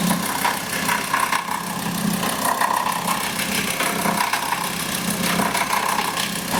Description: Today we have a look at a VW that growls at idle. The cause is the alternator's overrunning pulley (OAP).